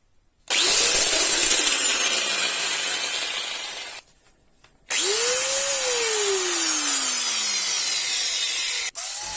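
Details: Bosch angle grinder spinning up with a harsh gritty rasp over its whine from a worn 608ZZ bearing.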